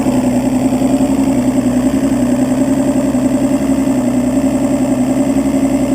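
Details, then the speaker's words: Evinrude 200 two-stroke outboard that only starts after fuel is put in the chamber, and whose EMM pin 22 wire gives no ground: once started, a steady, even idle with a smooth buzzing beat and no stumbles or surging. "okay so as you show dine runs perfect"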